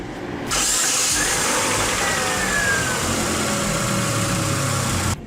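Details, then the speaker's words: Car that would not start: starter motor fed directly from battery positive via the solenoid wire, brief crank then engine fires and settles into a steady, even run; fault traced to thin solenoid feed wire carrying no current. "Así que lo que haremos es tratar de prender el motor accionando el motor de arranque directamente así que como este cable está interceptando el cable del selenoide que llega hasta el motor de arranque lo que haríamos es llevarlo al Polo positivo de la batería y debería el motor"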